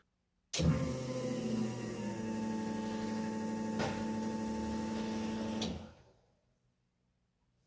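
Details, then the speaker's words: Widebody Subaru WRX wagon race car on a Haltech Elite 2500, after the fuel relay and ignition wiring fix: a steady electric fuel pump whine for about five seconds, stopping cleanly. It is priming for the correct time. "that sounded like a lot of noises and it definitely primed for the correct amount of time"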